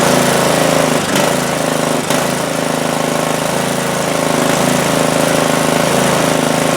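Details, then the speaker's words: Craftsman T100 (MTD/Troy-Bilt) lawn tractor, Briggs Intek single-cylinder, first run after fixing a hydrolocked engine that wouldn't crank after winter: steady even putter after two brief dips, runs well; oil residue in muffler burning off. "Alright, not bad. Looks like we got some oil or residual in that muffler that's going to burn off for a little while, but it should be fine after that."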